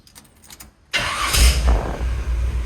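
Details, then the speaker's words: 1951 Chevy after reinstalling the power steering box and pump and bleeding the system (box turned lock to lock about 30 times, car off and raised): engine starts cleanly, steady idle, no pump whine; earlier noise was likely a blockage in the old box. "nice and quiet it's got power steering no problems this time"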